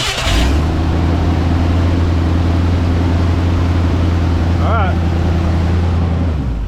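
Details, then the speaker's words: 1968 Ford F100 V8 after 4-barrel carburetor conversion, timing chain install and carburetor adjustment, restarted after shutoff: deep, smooth burble at a steady idle with no stumble or hissing, engine properly tuned. "I think that engine is tuned y'all"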